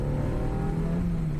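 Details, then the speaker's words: Restart after an engine flush and good oil. Smooth steady hum with no ticking or rattles; oil pressure at idle now about 3 versus 2 before. Engine runs clean and healthy. "that is so good man who would have thought just needed a flush and a good bit of oil the car sounds so much better"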